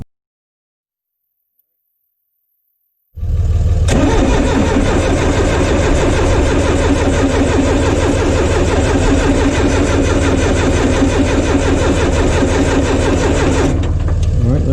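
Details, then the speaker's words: John Deere 2030 tractor after installing a refurbished Roosa Master/Stanadyne injection pump: even, rhythmic cranking at about three turns a second with no firing, bleeding air from loosened injection lines until fuel bubbles out. "what we'll see is we'll start to see fuel just bubbling they're not going to squirt out it's just going to bubble around those lines"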